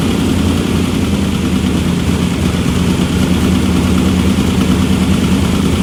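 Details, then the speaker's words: Engine running again after head work, though an ARP head bolt was leaking and later snapped off: loud, steady low-pitched idle with an even beat and no knocks or ticks; sounds good at idle. "now you can see it runs hmm that's about it sounds good"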